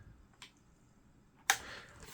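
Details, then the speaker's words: HP 15-ac107na laptop: sharp creaks and snaps as the lid is moved, loudest near the end, from a faulty hinge. "There's nothing particularly special about this laptop. You can hear the creaking."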